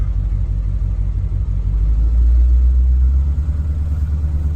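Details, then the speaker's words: 1938/1939 Ford two-door hot rod project, clutch engaging while backing up. A low, uneven shudder pulses through the engine rumble as the clutch takes up; it feels fine fully out: clutch chatter on engagement. "right about here you can hear a little bit of chatter on that clutch there we go little chatter"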